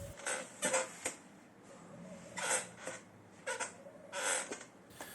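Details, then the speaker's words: IKEA Markus office chair creaking, clicking and squealing as it moves after loose handles were tightened; noise from dry seat mechanism, fixed by opening and greasing it; creaking seat mechanism. "the loose handles problems on this chair is very easy to fix all you have to do is tighten these screws on both sides with a power tool or a hex screwdriver the problem with the clicking it still remains"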